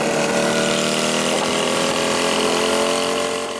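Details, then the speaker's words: Motorcycle (the "Beanmobile") run on beans, after a quick pit stop: harsh metallic clatter and rattle over a busy engine note, internals grinding from oil starvation, shortly before the engine struggled. "I'm not a motorcycle mechanic, but I'm still pretty sure that a motorcycle isn't supposed to be making this noise."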